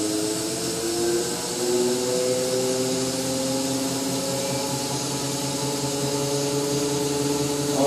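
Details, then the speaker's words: BMW E31 840Ci EV conversion, drivetrain bench run in park: automatic gearbox in fail-safe mode with no controller, so pressures at maximum; smooth, even whine rising as pressure builds under load, no knocks or grinding. Normal automatic transmission running under load. "that sounds good. Now we're running the box in fail-safe mode. We got no controller plugged into it, so pressures will be at maximum."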